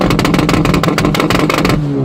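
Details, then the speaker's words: VW Jetta MK4 1.8T with GT28 turbo and new custom side-pipe exhaust, first start after exhaust install, testing two-step: rapid even crackling bangs about eight a second at held revs, launch control limiter cutting cleanly. "Oh yeah, that's loud. First we test if it can two-step."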